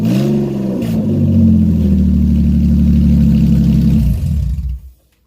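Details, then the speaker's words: Car during Y-pipe exhaust replacement, started with the exhaust open at the catalytic converters and the old Y-pipe off: loud raw unmuffled bark as the engine revs and settles, deep pulsing. "let's start it up here I was sounds with open cats alright give me one moment"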